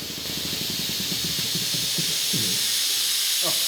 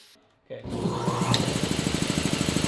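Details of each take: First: Shop air compressor running: loud steady high hiss of escaping air over a faint motor chug; a valve was left open, dumping air out, much quieter once closed. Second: Rotary shop's new air compressor after closing a valve left open: starts and runs with a quick, steady chugging beat, no hiss of escaping air, good oil pressure; normal pumping.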